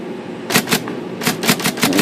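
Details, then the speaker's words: IBM Selectric typewriter after removing a rubber band tangled in the shaft bearing: quick crisp even strikes, about six a second in bursts; stalling fixed, runs freely. "i got enough of it out that it's working already"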